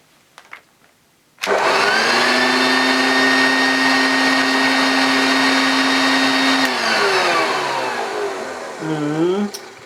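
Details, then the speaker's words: British-made Hoover Junior U1036 bagged upright vacuum motor run with no drive belt or agitator attached: spins up fast to a steady even high whine, no rattle or grinding, winds down smoothly; good suction, motor seems fine. "I think that sounds okay so it's going to sound different when the belt's actually attached but it's got some it's got a good suction so I don't think there's much wrong with the motor"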